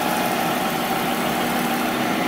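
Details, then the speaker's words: Monarch 10EE lathe after refurb with new drive tubes, open belt, spindle at 2000 rpm: smooth even whir with faint steady tone, no knocks, rattles or grinding; spindle quiet, normal running. "it's actually pretty quiet spindle's pretty quiet [Applause] 2000 rpm nice and quiet"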